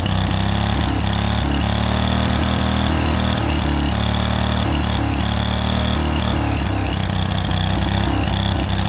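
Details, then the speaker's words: Late-1990s Snapper SR1642 riding mower after a throttle linkage fix and extra fuel, still seems to run lean: small single idles unevenly, stumbling and hunting about every second; rough running, cause unknown. "did that and it uh still doesn't run want to run like it's supposed to I'll uh I'll fire it up here and let y'all listen to it and see but I'm uh pretty much at a loss"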